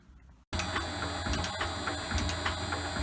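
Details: Shaper refitted with its new replacement motor, running at 50 Hz, 67 strokes per minute: steady motor hum with light repeated ticking from the ram strokes, fairly quiet; normal running.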